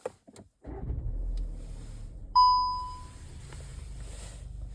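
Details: Škoda Octavia A8 with DSG automatic: single bright warning chime over quiet cabin hum, gear selector lever fault putting gearbox into emergency mode; temporary fix pulling selector cable, selector needs replacing.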